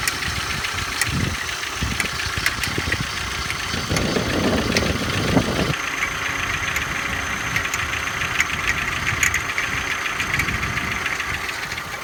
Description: Нужна помощь.... Посторонний звук в двигателе на холодную.